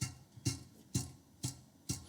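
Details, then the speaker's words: Vintage lawnmower cutting drum spun slowly by hand with the drum removed: a dry rasping click about twice a second, from worn, dry 6202 bearings in worn bearing blocks, to be replaced. "so we can hear they they're quite nice and dry well i wouldn't say nice but it would actually be a shame to put this thing back together just like it is so i'm definitely going to replace these bearings"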